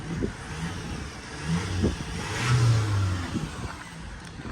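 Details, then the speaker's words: High-mileage Vauxhall Astra diesel from auction, light rev check: deep rumble rising smoothly under a throttle blip and settling back, even and knock-free; no smoke from exhaust, engine sounds healthy. "Don't know if there's no smoke coming out the back either, is there? No smoke. I'll give it a little rev to see though."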